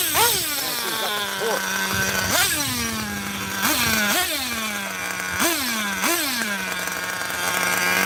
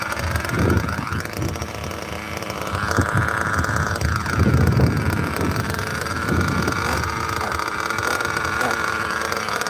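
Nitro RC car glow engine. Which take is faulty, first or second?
second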